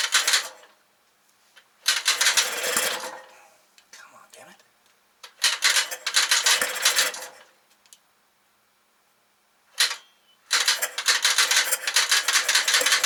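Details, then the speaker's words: 1968 Kohler 6.5 kW marine generator, model 6.5A27, under 300 hours, being revived with the governor not hooked up: repeated bursts of high whirring cranking with no firing; likely badly flooded, and the No. 1 spark plug was found soaking wet. "i'm guessing it's badly flooded let's take it apart see we can find out"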